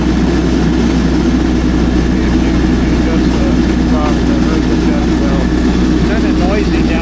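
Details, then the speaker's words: MEP803A 10 kW diesel military generator, low hours, running and making power after a loose field-flash wire was fixed; steady drone with loud rattly hum underneath; owner suspects a bad motor mount, unconfirmed. "I have to see what's going on there. It might just be a bad motor mount."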